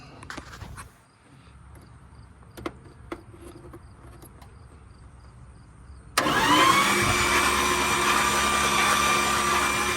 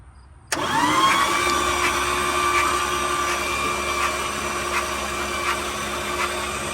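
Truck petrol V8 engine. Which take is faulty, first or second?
second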